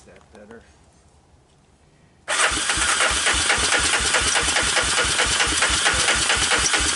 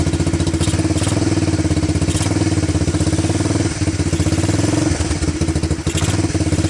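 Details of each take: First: Honda TRX250 ATV with apparently new (clone CV) carburetor, first start on starting fluid with diesel-contaminated fuel: catches after a pause, runs lumpy and uneven about twice a second, "doesn't sound great"; rough running from diesel-contaminated fuel. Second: Honda TRX250 ATV single-cylinder after diesel-contaminated fuel was dumped and fuel fed from a bottle, choke on: steady, quick even idle thumping with only a couple of small dips; normal idle.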